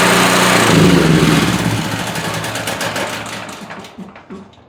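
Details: Generac GP5500 generator after repair of a locked-up engine with a cylinder head/valve fault: fast, even single-cylinder chatter that fades smoothly at shutdown, with no knocking or grinding; runs healthy.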